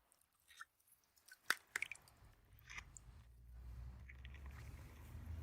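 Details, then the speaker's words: Pressurized pool pipe leak heard through a ground microphone set on the deck right above the leak; scattered clicks and scrapes, then a steady low rushing noise builds as the mic reaches the leak spot. "donc voilà le son de la fuite réelle vous allez voir exactement à quelle distance"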